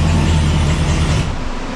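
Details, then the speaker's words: Modified C7 Corvette ZR1 on the dyno after a retune (previous pull 722 wheel hp), manual mode with the tuned auto upshift from second gear: a hard, deep full-throttle roar that breaks cleanly at the upshift. A healthy pull. "That trans tune is awesome. That was sick. That sounded sick."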